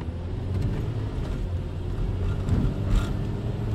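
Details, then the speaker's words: 2007 Toyota Tacoma 2WD, 167,000 miles, after repair of a frozen part with needle bearing: pulling uphill from a stop under load, smooth even engine and road rumble, no shudder, vibration or grinding; fixed. "it's fixed there's nothing happening here you can go back"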